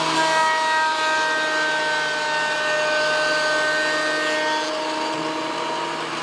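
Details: WEN PL1326 15-amp 13-inch spiral benchtop thickness planer, after repair of misuse damage (replacement knives and bevel gear set used), planing a bigger board over several passes: steady high whine with a constant cutting tone, no chatter or grinding; cutting cleanly, within 0.002 in thickness.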